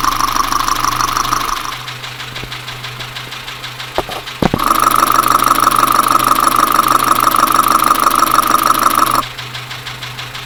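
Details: Dacia Sandero engine knocking at idle, traced with a mechanic's stethoscope: a steady knock about three beats a second, louder when the probe touches the engine.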